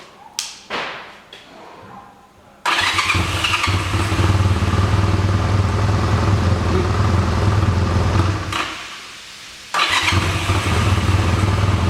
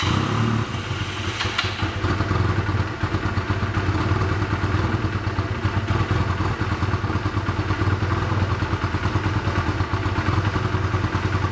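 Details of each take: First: 1985 Honda Rebel, 2,000 miles, sat 17 years, restarted on reserve fuel after blowing through the carburetor: a few cranking thumps, then catches into a steady low idle, dips briefly and recovers; running fine while warming up. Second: 1985 Honda Rebel with 2000 miles, first start after about 17 years stored, cold on choke, lumpy uneven chugging idle that won't rev cleanly; clogged carburetor jets starving the engine.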